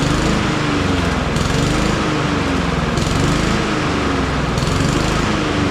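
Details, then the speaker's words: Honda HRR216 push mower with GCV160 engine and black oil: when the blades are engaged under slight load, the engine note rises and sags about every 1.5 seconds. The carburetor is to be cleaned. Engine surging under load. "and did you did you hear it surge when I engage the blades and put it under a slight load so we're going to clean that carburetor too"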